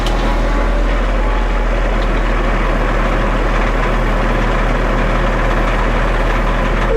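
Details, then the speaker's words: Ready-mix concrete mixer truck discharging at a curb pour: steady heavy diesel drone with a loose, irregular rattle from the turning drum. Driver says this rattle means the load is almost out. "yeah that that drum rattling like that that means you're almost out so they might have some call back"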